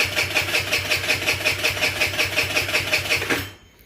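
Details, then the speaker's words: GY6 50cc scooter/mini sport bike with newly fitted carburetor: engine spins about 160 times a minute, coughing but never catching; carburetor bowl has no fuel yet, no start. "it says it's going to take a minute carver hasn't had any gas"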